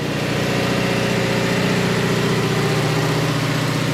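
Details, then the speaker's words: 2018 Subaru Crosstrek junkyard engine just started after swap: slightly loping idle while oil that ran past the valves from the engine being tipped over burns off in the exhaust; idle soon drops and check engine light appears. "we had a lot of oil coming down past the valves from it being tipped over so we do have a lot of oil that's going to kind of burn out of it"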